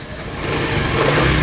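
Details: Used Yamaha Mio M3 scooter, serviced the day before, engine check: revs climb smoothly and evenly as the throttle opens, with no knocks, rattles or misses; a healthy, clean-revving engine.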